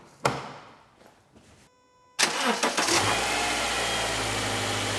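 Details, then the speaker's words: Car during an alternator and battery test, multimeter on the battery reading 12.6 V at rest: short crank, then the engine catches cleanly into a steady even idle; voltage dipped only to 10.9 V while cranking, so battery is good. "alcanzó fue 10.9 voltios, lo que significa que aún tenemos una buena batería en este carro."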